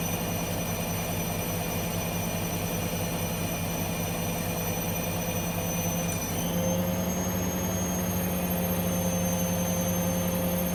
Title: Hoover washing machine whine noise